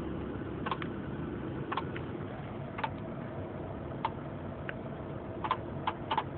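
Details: 1996 Honda Accord LX manual: sharp light clicks roughly once per second, somewhat uneven, over quiet low engine hum; source of clicking unclear.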